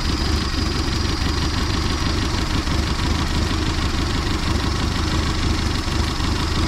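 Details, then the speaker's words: 1979 Datsun engine revived after about 30 years sitting; steady even low rumble at idle with no knocks or misses, runs really well despite bent driveshaft. "but i gotta say she runs really good we might do something with that motor i'm not really sure we got a million projects but it runs almost too good to throw away"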